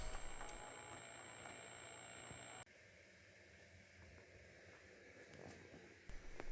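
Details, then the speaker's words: Gaelco World Rally (1993) JAMMA arcade PCB: very faint music buried under loud steady hiss and hum from the audio section. "et sur la carte on entend toujours la musique de très loin avec un gros bruit de fond"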